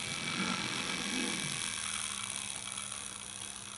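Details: Farish Pannier locomotive after motor repair, with added wheel wiper: thin steady high-pitched motor buzz with faint hum, running evenly; noisy versus modern locos but much quieter than before.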